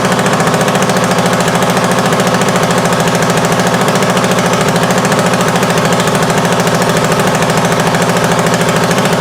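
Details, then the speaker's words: 1979 Honda XL500S single idling with loud, harsh jackhammer-like chatter from a massive exhaust leak wrapped with a piece of leather glove; carb also overflowing from bad float needle; exhaust leak. "And if it sounded like it had a massive exhaust leak, that's because it had a massive exhaust leak with a piece of leather glove wrapped around it."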